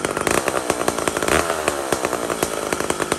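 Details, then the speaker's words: Mac 125 SP chainsaw being tuned while cutting wood. In the cut it burbles and four-strokes unevenly because the carburetor is set too fat and rich, so the mixture is being turned up leaner. "this is tuning in the wood so i cut it sounds like terrible it's so fat and rich i tune it a bit bring it up bring it up"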